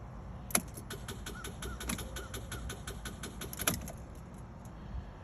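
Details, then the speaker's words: Chevrolet Equinox that won't start: turning the key gives rapid light clicking, about six or seven a second, and the engine never cranks. A battery tester later confirmed a bad battery. "All right, so Chevrolet Equinox. So what could be the problem is it's probably a bad battery."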